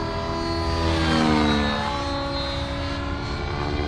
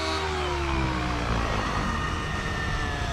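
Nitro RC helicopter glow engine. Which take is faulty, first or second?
second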